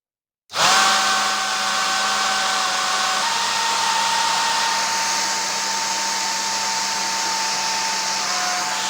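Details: Worn original motor of a professional hair dryer used several years, with a 0.22 µF capacitor fitted and sparking: loud rushing airflow with a steady whine and a wavering tone; the motor is worn and should be retired.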